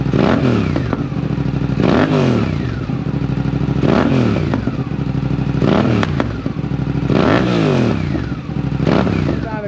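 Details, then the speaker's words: Suzuki GSX-8S parallel twin with full exhaust, OEM airbox lid refitted after removing the DNA open lid: repeated throttle blips, deep even burble with clean response; deeper tone with the cover on. "I feel like with the cover on it has a deeper tone I like the way it sounds like this"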